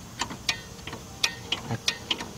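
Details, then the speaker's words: 2002 Chrysler PT Cruiser rear drum brakes, wheel off: crisp light clicks about three a second as the star-wheel adjuster is turned with a spoon to tighten the shoes until slight drag; normal adjuster clicking. "hear it clicking so I know it's tightening that's not you want to keep going till you feel a slight drag not a lot because you will if you do it too much you're gonna overheat these brakes"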